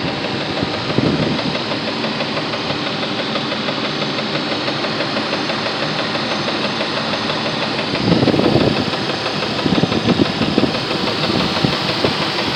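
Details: 1999 Jeep Grand Cherokee Laredo at steady idle with a loose, uneven knock on top, roughly three a second, getting louder at times; cause unclear.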